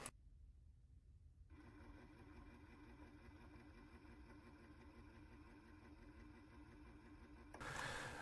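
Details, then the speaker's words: White ink circulation pump on an Epson printer converted to DTF, after swapping reversed polarity wires: quiet even pulsing hum about three beats a second, steady, ink now flowing through the filter to the printer and back; pump working correctly. "That's when you know you get the connection correctly. Watch the ink goes on the top of the filter and come out from the bottom filter, goes to the printer, then return to the white tank."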